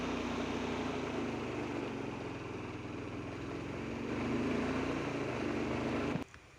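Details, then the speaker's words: Honda Beat FI that died suddenly and would not start, running only after oil poured into spark plug hole to raise compression: small single idling steadily, slightly lumpy, smoking from oil; worn piston rings. "Nah jadi untuk kasus ini kalau yang dimasukin oli di lubang busi tadi Nah itu untuk memancing kompresi ya teman-teman nah jadi itu di pistonnya ini terjadi kaausan pada bagian ring ini y"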